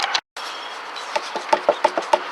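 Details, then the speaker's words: Left rear wheel jacked up and shaken by hand after it sounded like knocking on wood when kicked: a quick run of light metallic clunks reveals a loose, bad wheel bearing needing replacement. "And as I shake this tire, I have found my noise. And I don't know if you can see that, but I have a bad wheel bearing."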